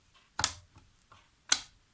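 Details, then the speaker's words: iRobot Roomba 530 (500 series), closing the brush door after cleaning and reinstalling the brushes: two crisp clicks about a second apart with faint handling taps. The latch seated properly, so everything is okay. "If you hear these clicks, everything is okay."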